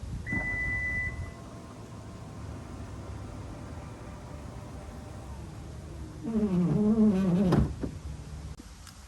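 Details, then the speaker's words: 2021 Toyota Venza power liftgate: a warning beep, low hum, then a wavering squeak as the gate moves. Fixed by disabling the power liftgate setting and manually opening and closing the gate fully to recalibrate it. "Here's how I fixed a squeaky leakgate on my 2021 Toyota Venza."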